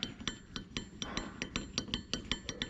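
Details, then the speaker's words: Steering joint turned by hand after a hit left it unable to steer: sharp metallic clicks about five a second as the balls catch in worn grooves along the wear line; this side shows definite wear and the other side is better. "can hear it. There's definitely some wear there. The other side's better."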